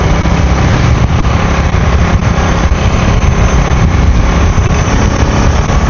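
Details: Kriss 110 two-stroke motorcycle running on a newly fitted adjustable racing CDI in place of the standard unit; loud, low, steady burble holding even with no stumbling or misfire; runs cleanly.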